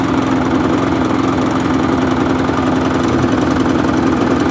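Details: Qualcast mower with a Briggs and Stratton Classic engine, primed, running at a fast idle with an uneven, hunting beat that never settles; runs poorly and needs a carburetor clean.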